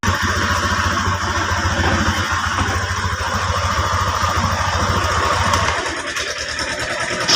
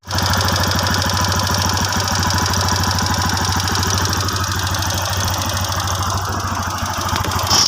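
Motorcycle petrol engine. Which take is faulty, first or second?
second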